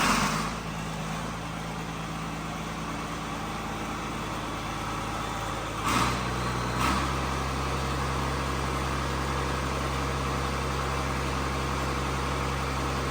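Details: John Deere tractor with a swapped-in excavator diesel engine, first runs after the swap: steady, even idle about 1100 rpm with two brief throttle blips, no knocks or clunks; sounds healthy.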